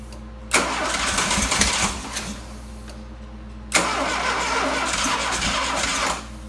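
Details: Freshly DIY-rebuilt 175-hp Dodge 2.2L turbo GLHS engine swapped into a 1985 GLH-T, after a bad pickup coil and connector rewiring: two cranking bursts of a second or two, starter spinning steadily but the engine never catches.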